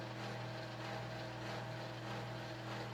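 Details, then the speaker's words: Panama Fan Co 52-inch gear-driven ceiling fan, early-1980s, mostly plastic, small gear-driven motor and flywheel, non-original blades: steady hum with droning whine and washing-machine rumble; gear drive very noisy, worse than friction drives. "it sounds horrific this is even worse than you thought the friction drives were bad this is worse than those my God yeah it sounds like a washing machine"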